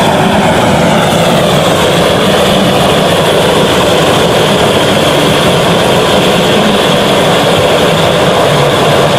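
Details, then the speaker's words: Restored 1930s blowtorch, possibly Montgomery Ward, tank cleaned and seals replaced, half-filled with Coleman camp fuel, about 10 pumps, burner preheated; constant hard hissing roar with no pulsing, popping or dropouts; normal steady burner. "You can see it's a little bit hard to light, and I'm definitely new to this, but after hearing that sound, you can definitely see why they called them a blowtorch."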